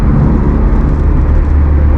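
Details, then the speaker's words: Honda Civic EJ9 with D15B VTEC swap, eBay billet lower engine mounts fitted, main mounts still rubber, worn clutch release bearing; heavy booming cabin drone and vibration, noise amplified; excessive NVH from solid lower mounts. "Now, I was expecting a bit more NVH, but not this much, I've got to be honest."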